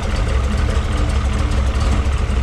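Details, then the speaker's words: Factory Five '33 Hot Rod, 351 Windsor stroked to 408 CI, 512 hp, dual Edelbrock 500 CFM carbs, warming up: deep steady lopey V8 idle rumble, no knocks or ticks; purrs as it should, normal idle. "purrs as it should. Exhaust sounds great."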